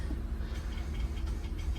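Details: LCI RV hydraulic leveling system during a cylinder bypass test, heard from inside the cab: steady low electric hum with no grinding or labouring, pump motor engaging normally; fluid found leaking from the hose.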